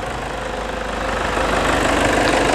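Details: Toyota Hilux 2.5 diesel, 2008, after engine wash, full service and preventive radiator replacement: even diesel idle clatter, steady rhythm with slight rise in loudness, no irregular knock; engine runs smooth, normal idle.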